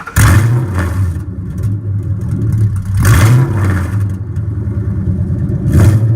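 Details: 1999–2004 Mustang GT V8 just fitted with headers and X-pipe, cat-back not yet installed: three sharp throttle blips over a deep V8 rumble rising and falling cleanly, no rattles or ticks; normal, healthy exhaust note.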